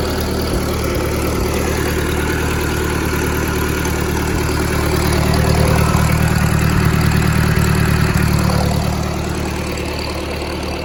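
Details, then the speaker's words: 1964 Ford 2000 tractor after replacing its 50+-year-old carburetor, weak battery, not yet at temperature: loud, steady low chugging with an even beat and a slight rise in revs midway. Normal idle. "So she is back running. Got to put another battery in it. The battery was real weak, but she is running."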